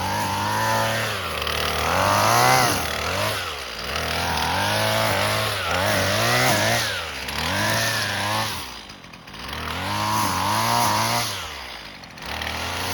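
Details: Husqvarna 128LD string trimmer, two-stroke on 2-cycle mix, after carburetor replacement and tune-up (plug, fuel and air filters; formerly barely ran, only on choke), cutting grass: screams up cleanly and drops back as it bites, no bogging; healthy under load.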